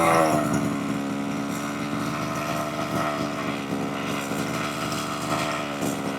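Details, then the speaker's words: 1/5-scale petrol RC car two-stroke after the tick-over screw was turned in slightly. The buzzy idle holds but still wavers up and down in pitch; it is unstable and needs further adjustment. "That's not too bad. Still a little bit up and down, but I think it needs a little bit more attention and just a bit of an adjustment, to be honest."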